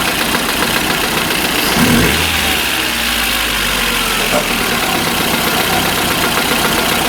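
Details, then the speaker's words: Engine at idle with a steady light knock over the hum; suspected camshaft axial (end) play. One cylinder has no compression, and the knock stops when the plug end is pressed with a hammer. "Какой-то стук идет, да?"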